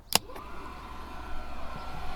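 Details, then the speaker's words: Propex campervan heater after strip-down and fan repair, bench-tested uninstalled without gas: click on switch-on then soft steady whir without rubbing or rattle; fan running properly. "and actually you can hear it blowing away, blowing out the right places, sucking in the right places. That's good."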